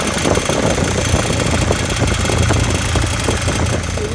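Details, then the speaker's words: Mercedes Sprinter diesel with P299 turbo underboost code, turbo actuator lever found all the way down: uneven lumpy idle with irregular dips, wanting to die; actuator in wrong position or faulty inside suspected, not confirmed. "the turbo actuator is probably in the wrong position seems like it wants to quit so let's let's turn it back on you know like it seems like it wants to die"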